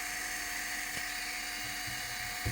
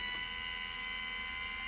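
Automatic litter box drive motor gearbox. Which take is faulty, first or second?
first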